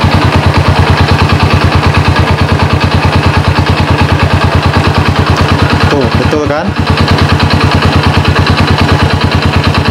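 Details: Honda Supra motorcycle converted to LPG, idling on the separate idle gas line: a steady, even putter at about three beats a second with no misses or stumbles. Normal idle.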